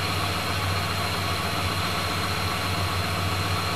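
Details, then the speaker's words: Chrysler 440 RB big-block wedge V8 in a classic car: deep, even idle with a steady low rumble and a great exhaust note, no ticks or knocks; running smoothly. "just smooth 440 power and a great exhaust note [Music] too"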